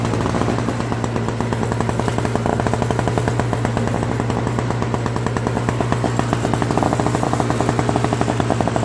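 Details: Old Craftsman 5HP Tecumseh snowblower engine after carburetor cleaning and leaking float replacement: loud, rapid, evenly spaced firing beats at steady speed throughout, no misses or surging; normal running.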